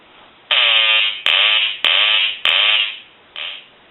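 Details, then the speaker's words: Hand-painted wooden duck novelty telephone, quack ringer previously silent, rung after repair; four loud buzzy quacks about one per second then a shorter fifth, quacker sounding properly again. "we talked about a note that John had sent in where he didn't have the quacking sound and so what we're going to do here is we're going to ring the duck"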